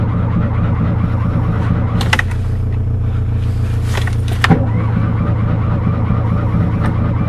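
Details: Fiat 126 cold-start attempt, unstarted since 18 October: steady low cranking drone with a few sharp clicks, never running on its own; cranks but won't start, owner suspects spark plugs or ignition coil.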